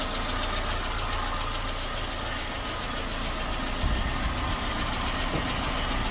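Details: Suzuki SJ413 1.3L four-cylinder holding a constant idle hum under heavy hiss, no misses or knocking, after fitting a new Toyota 3K carburetor and carb-base gasket and resetting ignition timing to cylinder one; normal, healthy idle.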